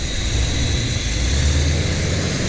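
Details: 1975 Chevy C10 V8 after rebuild, warming up until thermostat opens; steady even fast rumble with faint hiss: high idle, owner suspects vacuum leak at a broken, rigged vacuum connection; thermostat coolant leak was tightened.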